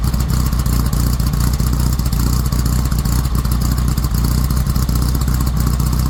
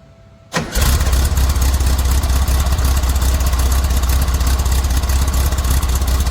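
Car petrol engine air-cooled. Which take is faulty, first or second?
second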